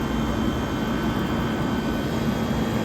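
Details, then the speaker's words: 1978 Comfort-Aire Quietmaster Heat Controller 29,000 BTU air conditioner running on high on a humid August day, not yet fully cleaned: loud steady fan rush with constant low hum, no rattles or cycling; condenser hot, suction line sweaty, compressor barely warm, running as it should. "The compressor is very little warmth to it. It's actually running just the way it should."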